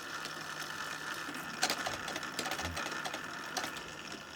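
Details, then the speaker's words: Automaton Florence's phonograph drum after refitting the pulley so it clears the speaker: quiet, even motor whirr with light regular ticking, no rubbing or striking, turning smoothly and freely. "it now missus the speaker has been the beautiful spinny thing again and it doesn't hit anything and it's silenced and it's beautiful"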